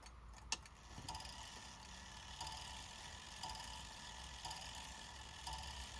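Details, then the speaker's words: Badische striking alarm clock after repair, on a cold day, partly assembled with the regulator adjusted: soft ticking with clear strikes about once a second counting 11, evenly spaced; the strike train is working and synchronized. "Yeah, that was 11. That's good. Okay. Well, that's good then. So we know that's all synchronized."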